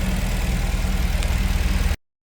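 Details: 1977 MGB with Weber DCE45 after inline fuel filter replacement and fuel pump reorientation for air in the lines: steady, even low idle with smooth regular pulse, no stumbles or misses; running cleanly.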